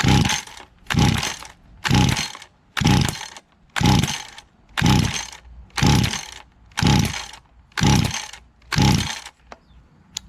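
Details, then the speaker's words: Little Wonder hedge trimmer two-stroke engine, choked, after spraying carb cleaner into the choke mouth: ten steady pull-cord bursts with no firing; primer won't prime, owner suspects carburetor blockage. Cranks but won't start. "Got to choke it. Nothing. And it won't prime either."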